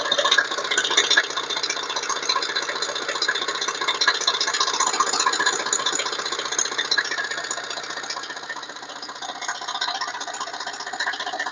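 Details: Chrysler Voyager S2 turbodiesel engine: light, fairly even metallic rattle ticking about two and a half times a second over a steady diesel idle; source of the rattle undetermined.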